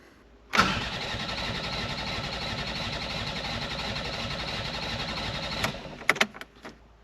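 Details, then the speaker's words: Mk4 Ford Fiesta not started in over 4 years, with a substitute coil wired to the plugs: the starter spins the engine steadily about five seconds but it never fires; cranks, no start, with no spark seen on the timing light. "no it doesn't I now need to see if I've got things like compression and a spark"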